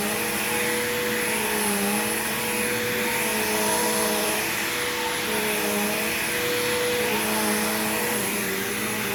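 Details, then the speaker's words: Bagged vacuum unused about a year, old smelly bag still inside, both belts changed long ago: steady even motor whine with constant fan hiss, no rattle, flap or belt slip; belts aged gracefully, running healthy. "just like the sanitary of the belts on this machine has aged very gracefully as well even though I changed both of these belts much longer a much longer time ago than in the power lifter"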